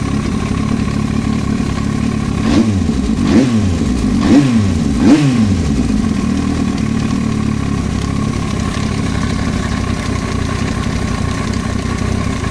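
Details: Yamaha YZF-R1 idling with four quick throttle blips: light tapping rides the engine note and follows the revs, foreign noise from the cylinder head; top-end knock.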